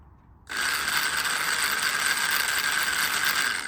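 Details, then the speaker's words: PS Models Hudson model locomotive build, raised on blocks with wires touched to the motor for a test run; steady high-pitched motor whir with even gear buzz; motor and wheels running normally. "and you can hear that it's running okay um if I can put it on its its side uh hopefully you'll better see the uh the wheels actually turning"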